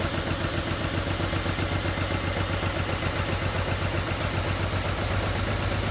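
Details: BMW N54 engine at idle: rough, uneven idle with irregular stumble about four times a second over steady exhaust drone; misfire, cause not yet found.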